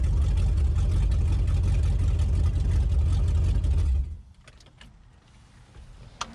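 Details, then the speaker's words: Chevrolet S10 with an LS V8 swap, retuned for 50 lb injectors. A strong, even V8 roar holds through a throttle blip and cuts off cleanly; normal throttle response, running better than before. "not bad not bad i gotta say she started up and sounded a lot better this time than she did the last time"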